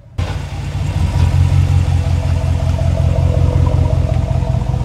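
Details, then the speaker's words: Ram truck, 40,000 km, city-driven, after cycling through all the 4WD modes to reset the transfer case, which fixes the clunk when shifting into D or R: steady engine drone with no clunk or jolt; the driveline engages smoothly. "doing this will reset the position as you can hear there's not a single clunk or jerking Motion in your truck after you cycle through all the all-wheel drive"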